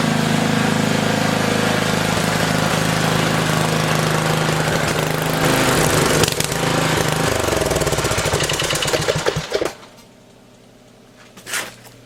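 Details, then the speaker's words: Old single-cylinder garden tiller, throttle worked by hand with the cable loosened: pounds unevenly at a fast, ragged beat for about ten seconds. A mouse nest near the muffler is suspected from the smell; rough running. "it's running pretty rough smells like there's a mouse nest break the muffler area but she started she's going to be fine"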